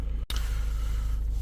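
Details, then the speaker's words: 2012 Range Rover Evoque 2.2 diesel, low on fuel, after multiple-fault repair: low steady idle with even beat, no misses, knocks or hunting; charging at 14.8 volts, no faults. "It's running. Is it charging? Yeah, it's charging at 14.8 volts. Beautiful, healthy charging rate. No faults."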